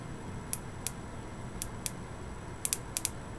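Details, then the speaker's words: Boyer analog ignition box bench test with a very used Lucas coil, off the bike, 50,000+ miles: single touches of power give sharp sparks in uneven singles, doubles, triples, quadruples instead of one clean spark; worn coil. "we're getting its multiple double his triple triple quadruple very inconsistent results for single touches of the power"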